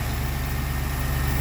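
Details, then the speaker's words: Brand-new, factory-calibrated 430hp LS3 EFI V8 in a 1985 Toyota Land Cruiser FJ60, freshly started: steady, even low rumble with no misses or knocks. Smooth, healthy idle. "Slick, smooth. These LS engines are great."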